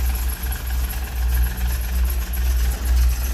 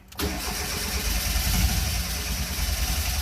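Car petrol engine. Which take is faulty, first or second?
second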